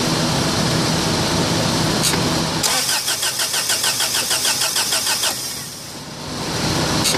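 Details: Honda Prelude after new cap, rotor, wires, plugs, IAC, EGR, timing belt and rebuilt head: starter spins the engine at an even quick beat for about three seconds, never catches; cranks, no start.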